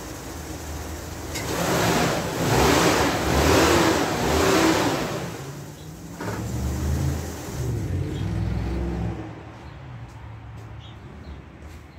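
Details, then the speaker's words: Van engine after wax was rubbed onto the power steering pump belt: revs up and settles with no belt squeal, engine warm; the squeal was worst from cold starts. "doesn't appear to be squealing anymore so I'm just going to let it cool down"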